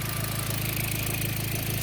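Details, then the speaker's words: B5 Passat, factory intercooler, after spliced-in ignition coil pigtails: somewhat loud but even, steady idle with no misses; previously sputtered at idle, now firing cleanly on all cylinders. "This thing is kind of loud at the moment. But it's not missing anymore, which is good."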